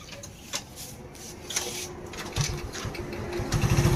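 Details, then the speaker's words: Hero Glamour motorcycle after replacing the magnet coil (coil plate) and reconnecting the power coil, RR unit, self relay and ignition wiring: faint ticking grows into a quick, light single-cylinder putter that settles into a steady run. The engine starts normally. "చూడండి, బండి అయితే start అయింది. ఈ విధంగా magnet coil అయితే మార్చాం కదా."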